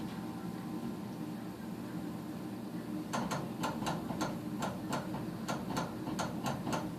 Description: Doesnt fire every cycle